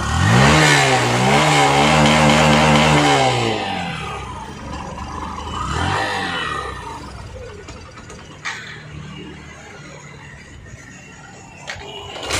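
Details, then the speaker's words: Hero Passion Pro BS6 motorcycle that starts and idles but won't rev: revs climb briefly, then stumble and sag when throttle is given; OBD shows no faults and pickup coil ohms are correct, so fuel pressure is suspected. "வண்டி வந்து ஆக்ஸலேட்டர் கொடுத்தா மட்டும் வண்டி வந்து அடைக்குது."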